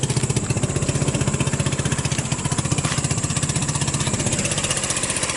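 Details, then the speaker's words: Hammerhead off-road go-kart with a 150cc GY6 engine, cold start: it chugs about four pulses a second, uneven with dips, and can't get enough fuel to keep going, running lean from contaminated fuel clogging the carburetor. "see what it's doing it's like cleaning out like I can't quite then quite get enough gas to keep it going so that's the issue with it"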